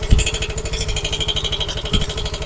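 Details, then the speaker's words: Yamaha Mio i 125 scooter with stock pipe refitted, idling: rapid metallic clatter on every engine beat, steady with revs, something scraping inside the engine; the pulser coil striking the magneto rotor. "Yan maririnig niyo ingay na to ay kumakas sa loob. May namamasko. Merong namamasko."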